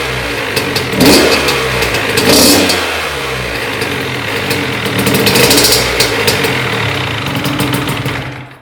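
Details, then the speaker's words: Honda CR80 two-stroke after cylinder head, studs and gasket replacement for coolant leak, first test run: crisp ringing note blipping up and settling, no misfire or knock, revs freely; healthy. "I'm gonna start it up, let it run a little bit, turn it off, let it cool down, check the coolant level, top it off if it needs, and then start it again and see what happens."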